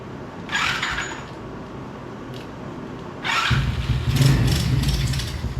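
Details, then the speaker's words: $40 125cc ATV quad with little gas and a carb the owner thinks may need cleaning: cranking whirr, a pause, then a short ragged sputtering burst; weak spark from a spark plug cap not pushed fully on. "hey we heard it fire so at least we know this thing runs really maybe you need to clean the carb out a little bit see what's going on with that thing or just get some more gas in it cuz I really didn't put much in it"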